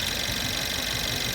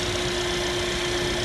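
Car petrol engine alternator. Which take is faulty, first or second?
second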